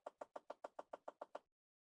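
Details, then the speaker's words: 2010 Chevy Impala: rapid, even clicking from behind the dash, about seven a second. Driver-side temperature blend door actuator stuck, code B048 temperature control circuit 1 actuator; it is to be replaced. "You have the B048, the temperature control one circuit actuator stuck. Obviously, you can hear the clicking. It's not moving."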